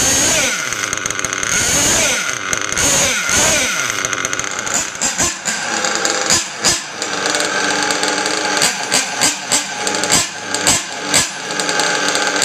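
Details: Rebuilt Mugen MBX6R nitro RC buggy engine after start-up: a high, thin buzz settles into a steady idle after a few blips without dipping or dying, a healthy idle. The idle had been dropping when braking, which needed a linkage tweak.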